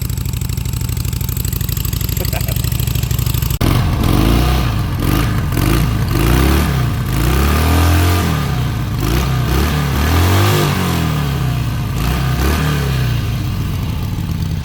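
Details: Bike engine after the fuel pump was refitted and reassembled: it catches after a few cranks, then revs up and down freely with even firing and no knocks or misses; running healthy.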